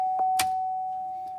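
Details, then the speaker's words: 2010 Buick Enclave with junkyard GM factory alternator fitted during alternator troubleshooting: clear electronic dash warning chime dinging repeatedly right after the battery was reconnected. "got the battery hooked up just now so you hear the dinging going on"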